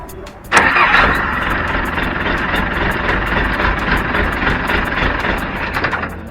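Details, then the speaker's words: Mitsubishi military Jeep after starter repair: short clean crank, engine fires and settles into steady idle with no grinding; healthy start. "So here we are again, expecting that we can just turn the key and the Jeep will start right up and won't make any weird noises."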